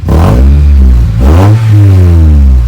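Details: Acura RSX after passing inspection, with knock sensors and exhaust fixed: strong, smooth rev climbing, dropping and climbing again with a clean, even note, no knock or rattle; normal revving.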